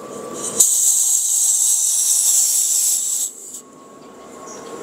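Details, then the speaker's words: Destec gas regulator, fully loosened, being fitted to cylinder valve: sharp steady hiss about two and a half seconds then cutting off; normal brief gas release while seating the regulator. "Nah gitu ya, jangan takut kawan-kawan ketika ngewes sebentar tadi. Tapi yang jelas ketika pemasangan ini jauhkan dari sumber api."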